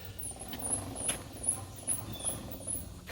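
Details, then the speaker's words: Troy-Bilt TB30 R riding mower in park, brake clutch pedal fully depressed, engine running: repeating high squeaks about twice a second as parking brake slips; suspected pads on small brake rotor need adjusting tighter. "the problem we have right now is up under here you may not know this but there's actually a little brake rotor and a set of pads and i'm suspecting that we need to adjust those to tighten up that parking brake"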